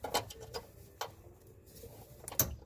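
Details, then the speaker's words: Chevrolet Cobalt SS fuel filter replacement, reconnecting the blue fuel line quick-connect to the new filter: a few sharp plastic snaps, then one crisp click as it latches; quick-connect properly seated. "just listen up for the click when you guys hear the click that means it's on there correctly there it is"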